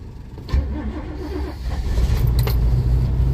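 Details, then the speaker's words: 1987 Winnebago cold start after sitting, with a battery terminal upgrade from side post to top post, throttle pumped and very low fuel: slow, uneven cranking, then the engine catches and settles into a low, rumbling, slightly rough run. "It sounds like a whole lot of nothing. Come on you old 54 fuel in this damn thing. Ohoo. Sounds like something."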